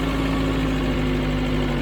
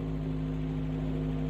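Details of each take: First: 1996 Tracker idling after a fuel pressure regulator replacement: steady, even four-cylinder hum with no misses or knocks. It runs smoother than before, with a small hesitation when the gas pedal is first tapped; likely fixed. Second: 1996 Tracker with a previous dead miss on cylinder 1 runs smooth and even with a steady hum, but idles a little high; the high idle is still to be dealt with.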